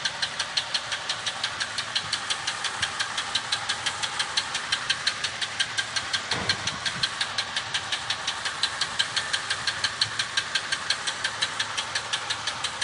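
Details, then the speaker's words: Chevy engine running with a sharp, steady knock about three a second on top of the engine note: suspected rod knock, not confirmed. "Your engine ever sounds like that, I'd get a new car."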